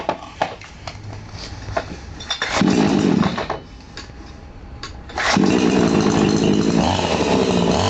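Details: Chainsaw after resetting both carburetor screws fully clockwise then 1½ turns counterclockwise: catches and runs with an even, crisp two-stroke buzz in bursts, no stumbling or surging; normal running.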